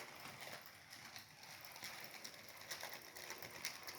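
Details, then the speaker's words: HO 2-10-10-2 model locomotive built from Rivarossi 0-8-0s, first test run, two 5-pole skew-wound 10,000 rpm motors drawing about a quarter amp, one possibly damaged earlier: light, quick rhythmic tapping over gear whir; cause unknown. Rhythmic tapping. "Hear that tapping? I don't know what it is, but I'll figure"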